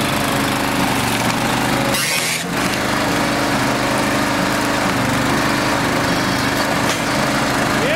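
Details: Small single-cylinder engine on a personal log splitter, upgraded with electric start, is fired up before splitting logs; it catches and settles into a steady, even run with no misses or knocks, sounding healthy.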